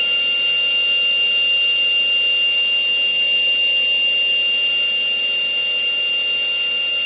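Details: GMN spindle, 90k: a steady, piercing high whine holding one pitch without wavering or rough edges; the spindle is running smoothly at speed.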